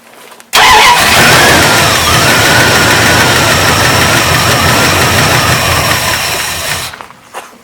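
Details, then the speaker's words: Old lunch truck, cold start on choke, slightly lean: engine fires up and runs loud and steady with no ticking or tapping and just over 40 psi oil pressure. "Alright guys, so as you can see I got a little bit of tuning left to do, but it runs. It's not ticking or tapping."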